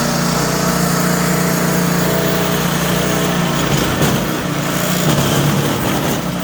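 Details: Troy-Bilt Squall 210 snow blower (model 31A-2M5E711) that wouldn't start and surged after sitting with ethanol fuel, after carburetor cleaning; steady, even run with no surging or hunting; normal running.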